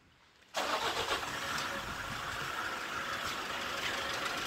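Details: 2012 Toyota Hilux 2.5L (2,494 cc) diesel, manual 4x4 double cab: quiet, then the engine catches at once and settles into a smooth, even idle with no misses or knocks. Normal start, filmed while showing a no-start cause.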